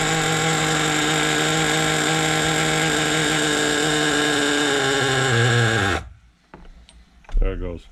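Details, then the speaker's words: Rebuilt 2002 Team Associated NTC3 nitro RC car, small engine (possibly circa 1998) after cranking idle up from too low: high steady buzzing idle, clutch bell keeps turning; healthy, engine called a gem. "I just had to crank the idle up on it and look at that clutch B that clut bill will sit there and do that for days still turning"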